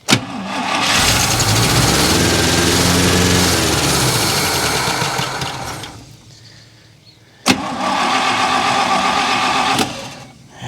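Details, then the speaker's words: 1964 International service truck, about a gallon of gas in the tank, high idle: cranks, catches and roars a few seconds, fades and stalls, fires briefly again and dies; the mechanical fuel pump isn't pulling fuel and it turned out dry. "don't think it's pulling fuel let's try one more"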